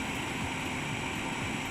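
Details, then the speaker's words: Eberspacher Hydronic 30 kW heater, start attempt with fuel and pump confirmed working. Steady fan whoosh and solenoid valve heard but no sparker ticking; no ignition spark, problem suspected at the spark generator, connections look clean. "solenoid valve but we do not hear the sparks okay so there is definitely some problem there at the spark generator"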